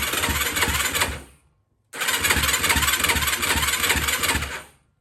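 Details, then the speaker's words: 2004 Yamaha YFZ450 quad, zero compression on gauge, after turning down the TORS-system idle knob: single cylinder fires and runs briefly, dies, restarts after a pause, then cuts out again; hard starting, owner suspects the TORS system. "why is it not starting now"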